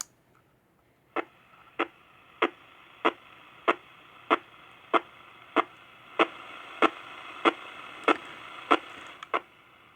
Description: Annoying static discharge noise on your AM Radio? It might be coming from a Cen-Tech Automatic Battery Float Charger, Harbor Freight Item 69955, located on your property, or on your neighbor's property.